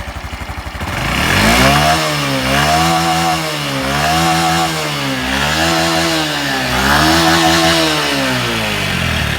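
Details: Fully stock fuel-injected Honda Super Cub 110 (JA07) small single, start-up check: starts and revs up and down cleanly several times with a smooth, even exhaust note and no knocks or abnormal noise. Healthy revving.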